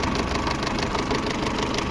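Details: Peugeot 607 2.2 petrol at idle after timing work, with crank and cam timing marks checked: a faint, quick light tick over a fairly steady idle, quieter than the earlier hard knocks from the timing-belt/camshaft area; a slight remaining noise, better than before, used engine.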